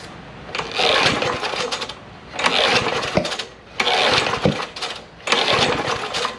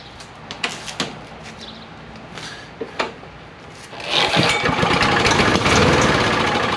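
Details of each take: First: John Deere JS63C push mower, 6.75 hp Briggs & Stratton OHV, gas/SeaFoam sprayed into the carburetor: short sputtering bursts catching and dying every second or so with popping blowback through the intake; flywheel key suspected sheared, timing off. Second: A few sharp pull-cord tugs on a John Deere JS63C push mower with a 6.75 hp Briggs & Stratton OHV engine, once locked up; then it catches and settles into a steady, fast putter on little fuel. Normal start and run.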